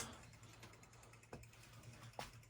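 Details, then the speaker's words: Slant/Fin VHS 150 propane boiler, 150,000 BTU, six zones with indirect water heater; zone valves calling, circulator pump kicks on with quiet steady hum and soft clicks; normal operation. Homeowner had shorted controls. "Sounds like the circulator kicked on. Yeah, circulator's on."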